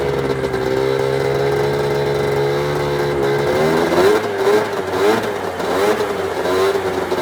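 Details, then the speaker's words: 1996 Arctic Cat ZRT 600 two-stroke snowmobile after fuel pump rebuild and priming: catches, settles into steady buzzing idle, blips up and down cleanly with even firing; holding good after air bubbles, normal start, idle and revving. "Quite a bit of air bubbles coming there for a little while. Seems to be holding good, running"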